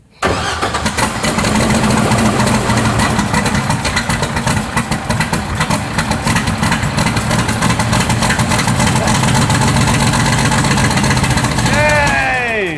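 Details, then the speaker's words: Rotsun race car (turbocharged) before 24 Hours of Lemons, firing up after work to kill an engine noise: cranks, catches and settles into a lumpy but steady idle with no knocking left; normal start and idle. "but first we're going to fire up the motor and make sure that we have killed that noise once and for all"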